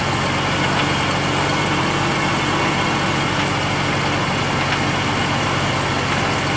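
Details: Ford Taurus petrol idle, rattle on startup heard underneath but not in engine bay: faint irregular light rattles over engine hum; owner suspects exhaust, not confirmed; rattle at idle.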